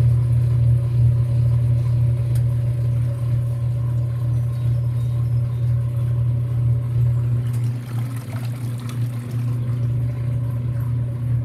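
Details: Whirlpool WTW5300SQ0 top-load washer after a new timer was fitted, draining after pre-wash: water rushing and emptying over a steady low hum, motor spinning evenly without knocks or grinding, a normal drain and spin.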